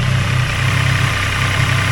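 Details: Triumph Tiger Sport 800 at 800 miles, idling after a cam chain tensioner replacement for excessive rattle: a steady, even low throb with no rattle standing out before shutoff.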